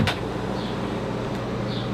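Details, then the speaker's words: 2021 Leisure Travel Van Unity motorhome, Truma water heater's small circulation pump kicking on in comfort mode, heard from inside; steady low hum with no knocking or rattle. It may be noticeable at night, so light sleepers could use eco mode. Normal pump operation. "If you look at the Truma water heater there at the top, so you'll hear that kick on in comfort mode because it's got a little circulation pump in it."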